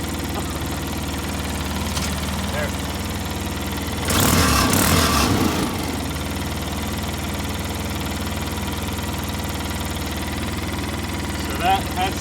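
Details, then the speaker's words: 2005 Polaris Ranger XP 700 EFI after fix: throttle cable lock loosened, turned twice clockwise and relocked; steady even low idle, no hunting, one brief louder stretch; idling near perfectly now. "so I turn this twice clockwise this way and then cranked it back down and would you believe it but it's running damn near perfectly"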